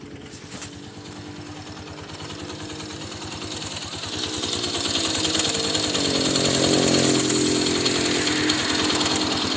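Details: Honda XR200 single-cylinder engine: a crisp, regular tick about three per second over the idle, picking up as revs climb; top-end tick of unknown origin, cause not identified.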